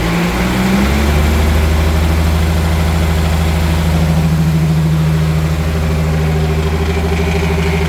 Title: Mercruiser Bravo 2 rattle noise